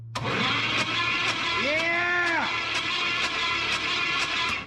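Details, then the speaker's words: 1967 Pontiac Firebird sitting about 15 years, after rebuilt flex plate cleared of jammed debris: even, free cranking about twice a second, no binding, oil pressure coming up. Normal cranking. "sounds very healthy here comes the oil is it coming out now yeah y'all see that it's we're starting get our oil now lubing the cylinder or lubing the motor"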